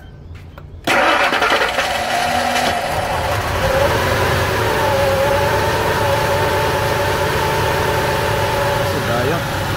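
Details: Ford Expedition with hard start, rough idle, black smoke and hesitation: with the regulator vacuum line pulled it fires within a second and settles to a slightly uneven idle; fuel pressure regulator diaphragm leaking fuel into intake vacuum, flooding the engine, regulator to be replaced.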